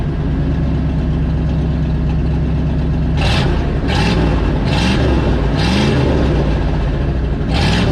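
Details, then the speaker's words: Loud rough exhaust from an old Ford F150 with previously seized engine, run with the muffler removed: raspy, uneven low beat with throttle blips, rough-running engine breathing through an open pipe. "oh that sounds like a sounds rough rough sounds like me after bronchitis"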